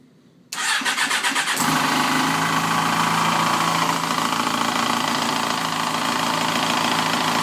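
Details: 2007 Yamaha FZ6 engine after manual cam chain tensioner, valve shim and oil pump chain fixes failed: starts into busy idle with fast steady ticking chatter; clutch fragment wedged between crankshaft and clutch basket gears caused buildup and poor meshing; engine replaced. Primary gear chatter.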